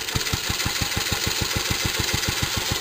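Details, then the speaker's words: Restored J.A.P. Model 5 single-cylinder stationary engine warming up after a cold start on choke: steady, even thumping around six firings a second with no knocks or misses; normal warm-up idle. "just let it warm up for a minute. So you can hear, no nasty knocks."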